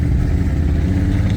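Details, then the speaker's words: 1997 Chevy K1500 floored from a stop: engine drones and labours with ragged sputtering, no acceleration until it finally shifts; long-standing 0-30 mph hesitation with no code, owner suspected the mass airflow sensor, before replacement, which fixed it. "no acceleration sputter sputter sputter no acceleration terrible and there it finally shifted"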